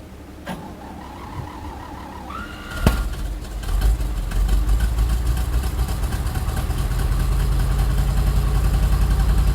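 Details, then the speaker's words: 1973 Chevy C60 fuel truck, 366 gas V8, with fouled spark plugs, started at about 10 degrees: brief crank, catches at once, settles into a steady, slowly rising idle; normal cold start and idle. "Alright, so right on, the thing started right up, that's great. Gonna let it warm up a couple minutes here, and then we're gonna go ahead and put some fuel on."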